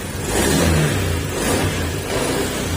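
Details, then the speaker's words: Honda Beat FI scooter that misfires and starts hard: engine revs in uneven surges that sag between blips, acceleration delays and the idle is poor until it dies. "Okay acceleration Tumitigas kaso nga lang may time talaga na delay siya tapos ayan parang hindi maganda yung kanyang Menor Ayan namamatay na lang"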